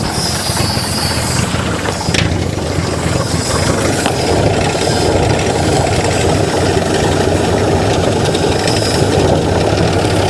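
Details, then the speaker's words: 1955 GMC 350 grain truck, fuel poured into the carburetor and cranked via a screwdriver at the starter. It lumps along at a low, uneven idle, firing irregularly with no steady fuel supply: runs briefly on poured fuel, then stalls. "ah well we had her running for a minute let's see if we can get her going one more time"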